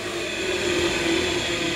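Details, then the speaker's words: Baldor bench buffer coasting down after switch-off, following replacement of its bearings with new-old-stock Fafnir bearings that were pressed on: smooth, even whir with a steady tone and no rumble or grinding, so the bearings sound healthy and it runs quiet; normal run-down. "And it shuts off nice, it's nice and quiet, so that's awesome."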